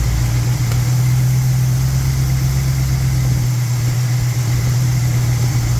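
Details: '78 Monte Carlo 305 (5.0) small-block V8, rebuilt 2004, under 50 miles, rebuilt Edelbrock Performer 1406 carb tuned, timing 16° BTDC, idle mixture screws adjusted; deep smooth even idle, steady low rumble, no misses or ticks; normal idle.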